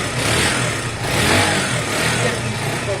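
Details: Zontes Tiger 125cc (Keeway RKV), carbureted single with a little petrol, on its first start: it putters along fairly evenly on choke with no knocks or misses, normal healthy running.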